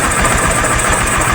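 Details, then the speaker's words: Honda Supremo 150 single-cylinder motorcycle, first start after top overhaul (piston rings replaced for smoking), freshly oiled, timing checked. Smooth even idle, steady beat, no knocks, ticks or rattles; quiet; normal idle. "Yun guys, sumandar na yung ating ginawa ng top overhaul. At yun, tahimik naman siya"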